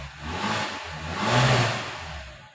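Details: Maruti Suzuki Zen after refitting the alternator for a blinking battery warning light, which went off on starting: engine revs up and drops back cleanly with no squeal or whine from the belt area; normal running.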